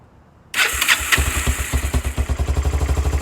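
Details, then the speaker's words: 2002 Kawasaki Bayou 300 ATV on its first start after the carburetor was refitted during a revival: it catches right away and settles into a steady single-cylinder putter with quick, clean pulses. It now revs and sounds healthy. "a lot better. At least they're rev now."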